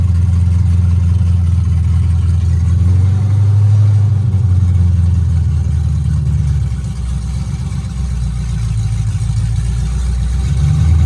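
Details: C5 Corvette drift car V8 first start after installing O2 sensors and a new battery: catches and settles into a deep, even rumble, blipping up and back smoothly with no knocks or misses.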